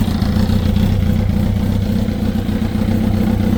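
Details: 2005 Kawasaki ZX10R Gen1, 41,000 km (25,500 miles): loose, uneven knocking at idle, a few per second, over engine drone; unchanged after new cam chain, tensioner and valve adjustment; owner suspects clutch basket back springs, source unconfirmed.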